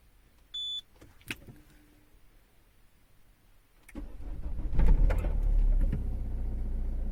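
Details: Citroen C4 Grand Picasso 1.6 HDI, about 89,930 miles, heard from inside the car: short beep, starter catches, smooth steady idle reading about 56 decibels on a phone meter; normal cold idle.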